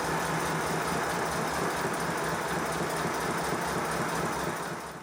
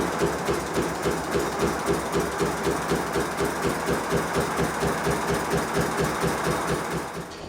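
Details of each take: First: 5-inch gauge Modelworks Pannier Tank steam locomotive, boiler and water tanks full, after suspension adjustment, with an even exhaust beat about three per second and no knock; it runs smoothly. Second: the knocking is partially due to the overtightened suspension and partially due to the fact that the boiler is over full and water has gone into the cylinders and it's blowing out of the chimney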